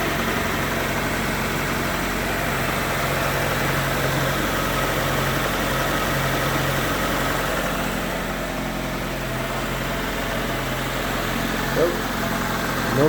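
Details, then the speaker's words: 20-year-old Infiniti G20 after temporary A/C compressor bypass fix for a pulley whine: low, even idle hum with no whine over it; belt drive runs quiet, normal idle. "wine nice and quiet it should be good"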